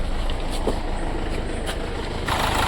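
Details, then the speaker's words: 2011 Mercedes-Benz CLA diesel: lumpy, uneven idle with a stumbling beat and heavy shaking. The scan shows a cylinder 4 open-circuit fault, and current reaches the connector, so the number four injector is faulty and the engine misfires. "आप देख सकते हैं ये इसका engine कितना vibration हो रहा है फिर रहा है इसका"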